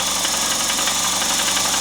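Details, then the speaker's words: VAZ 21093 1.5 engine at cold idle: a fast, light metallic ticking from the valve gear that disappears once warm. Valve clearances are in spec; the owner suspects loose tappet cups with slight play. "звуки похоже похожи на стук такой такой интересный вот сейчас сейчас их отсчёт сево слышно когда машина холодная когда она прогреется они сразу же"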